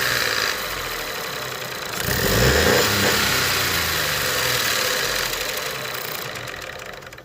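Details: Ford 1.0 EcoBoost three-cylinder at idle: a steady light tick about three times a second over a rough hum; cam phaser (VANOS) noise is suspected.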